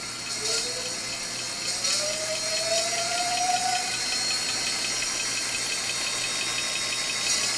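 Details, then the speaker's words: Rebuilt hub motor spin-up test at 89 V, wheel slightly out of true: smooth electric hum rising in pitch, no harsh whine; old whining on revving gone, quiet like new. "It used to have that really weird whining sound when you would rev up on it. It's pretty quiet now. It's actually what it was like when it was new."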